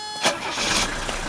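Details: 1981 Mercedes W123 300D diesel after replacing the glow plug relay blade fuse. A short crank, then it catches and settles into a steady, rattly idle with no stumbling; it starts normally.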